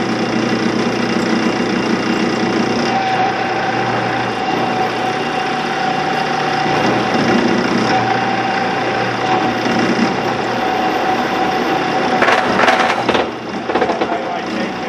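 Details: 16-inch Axelson lathe three-phase motor on a second start after its leads were identified and it was found in gear: steady even hum with a faint constant whine, no jerking or surging. Runs smoothly.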